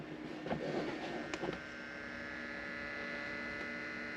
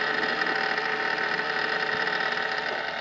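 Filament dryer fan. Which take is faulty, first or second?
second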